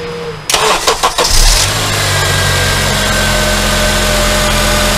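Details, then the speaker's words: Honda Accord just after a new Bando 7PK1780 serpentine drive belt was fitted: quick crank, then the engine settles into an even idle with no belt squeal or chirp; normal start-up and idle. "okay looks good there's no squeaking nothing and everything is perfect"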